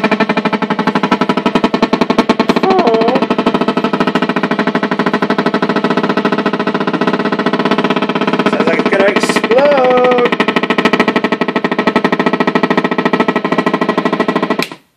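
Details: VOX AD30VT guitar amp while cycling the power control between amp models: loud, rapid pulsing buzz, about three thumps a second, steady until power cut. Motorboating from an overheating 7815/7915 15V voltage regulator, fixed by replacing it.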